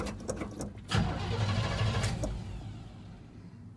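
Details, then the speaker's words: Chokeless engine, first start in about a month, two key turns and six pumps: a few quick cranking ticks then immediate catch into steady deep idle; normal cold start. "yeah it was two turns in the key and pump it about six times fire right up man there you go"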